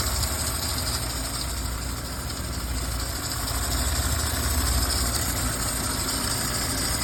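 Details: Audi A6 3.0L at idle: rough, uneven idle with low rumble and faint irregular chatter near the belt area; coolant leaking from water pump vacuum solenoid valve onto the alternator belt, vacuum hoses contaminated; pump, solenoid and hoses need replacement.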